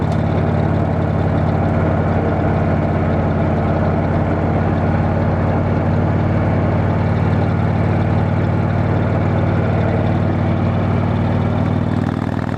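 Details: Motorcycle after failed exhaust gasket replaced, bike still needing a tune: steady even engine note throughout, no puffing, ticking or popping; exhaust leak fixed.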